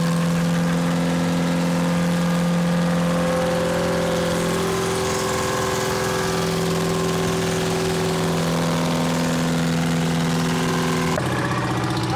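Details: Champion motor grader with a Detroit diesel that sat locked up for 7 years, now freed: steady, even low drone with a slight regular beat, no knocking or misfire; normal running.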